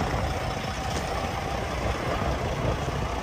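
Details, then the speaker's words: 2013 Peterbilt 386 day cab, Cummins ISX15 400 hp diesel, Eaton Fuller 10-speed, about 604,000 miles and 16,600 hours: starts right away into a deep, steady, even idle rumble with no knocks; healthy, though a possible air leak hiss was noted. "So I'm here with Pat. He'll fire it up. He'll give you a nice demo. Starts up right away."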